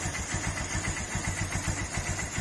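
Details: TMX Supremo 150 carbureted motorcycle, after draining water from the rain-flooded fuel tank that caused hard starting and dying on throttle: quick, even putt-putt idle, no stumbling; running normally.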